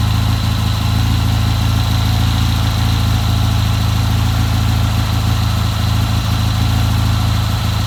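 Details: 1970 Triumph motorcycle with a hard-starting history, just fitted with a new Premier carburetor, on its first start: steady, even low thumping idle with no misses or stumbles, running smoothly and healthy; normal idle.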